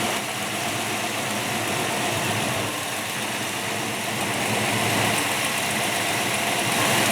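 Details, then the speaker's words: Freshly built Ford 347 stroker in a Mustang, first minutes of running on break-in, water starting to steam: steady, even V8 idle around 900 rpm, regular exhaust beat, no knocks; running slightly rich. Normal idle. "she's running about 9 00 RPMs right now and listen to [Applause] it she's running a little fat I think but that's all right better better fat than lean"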